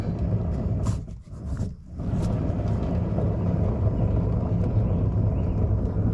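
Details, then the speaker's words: Trailer hub being turned by hand: low gritty rumble from a bad wheel bearing with lots of play; hub later serviced, races replaced, bearings repacked with new grease. "just that's the sound of a bad wheel bearing so I'm going to Time Lapse this side for you guys"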